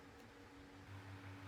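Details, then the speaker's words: Tesco DF96 9-inch desk fan on low speed via the blue three-position dial: faint steady low hum with a thin higher drone; owner suspects the motor is a bit worn from years in storage, otherwise runs well. "You might have heard that slight sound there. Yeah, you can hear it now. I think the motor is I think the motor's a bit worn out"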